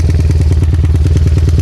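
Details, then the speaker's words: Modified Megapro Primus, mini-cc spec with 66 stroke and 63 piston, running with carburetor set slightly too rich and unable to idle on its own: fast, steady low rumble with lumpy beat, no clatter. Rich mixture stated as cause. "Penyetelan karburator agak terlalu kaya. Di kamera, suara itu hanya terdengar seperti dengungan samar, mungkin saja. Bunyinya memang seperti itu, teman-teman."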